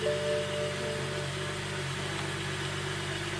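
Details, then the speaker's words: BMW E92/E93 N55 just after JB4 tuner install on map one, cold start at idle: slightly uneven, lumpy beat about four pulses a second; mild rough idle, no clear cause. "a bit of rough idle"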